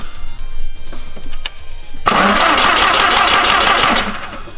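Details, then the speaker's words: Audi no-start: the starter cranks steadily for a couple of seconds but the engine never catches. No fuel pressure at the rail because the in-tank fuel pump had twisted loose. "ok jetzt wissen wir dass benzin nicht kommt"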